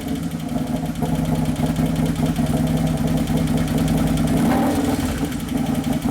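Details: 2011 Harley-Davidson Road Glide FLT Twin Cam after motor and primary repair, on its first heat cycle: lumpy V-twin idle with an uneven loping beat of about three pulses a second and a lean-sounding note. Computer running lean is suspected.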